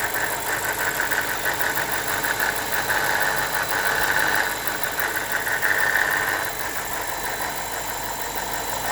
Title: BMW E60 545i N62 engine rattle noise from right bank